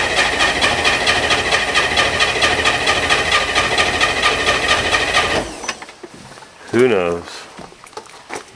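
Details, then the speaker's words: Corvair flat-six Spyder, cold, during spark checks: rapid, even cranking at about two beats a second for five seconds, then it stops with no catch. Cranks but no start; cause unknown, though it usually fires right up. "who knows who knows what's wrong and we'll go to motor vehicle get some paperwork done and come back and deal with this piece of crap later usually it fires right up"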